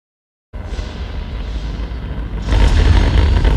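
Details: B&W subwoofer bought in 1999 playing explosion-like low-frequency content: deep rumble with a gritty buzz on the bass, before opening for repair.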